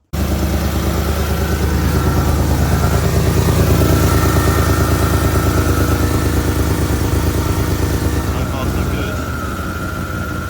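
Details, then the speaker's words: Porsche Cayenne GTS 4.8 V8, cold start after oil and filter service, ran about a minute checking for leaks: V8 idle with rapid puffing chuff about three pulses a second over exhaust note; exhaust leak blowing. "Definitely hear that exhaust blowing."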